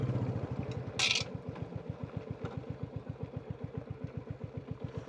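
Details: Royal Enfield Classic 350 WarHorse single after an idle adjustment at the throttle cable: a steady, even thump at about four beats a second with no knock or miss, a healthy idle where it previously would not idle when cold.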